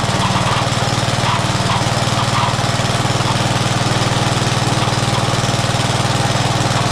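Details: Old Rover lawn mower stored about 10 years, rusty, after repaired primer bulb: small single-cylinder engine catches and settles into a steady, even putt at constant speed; runs smoothly and sounds healthy.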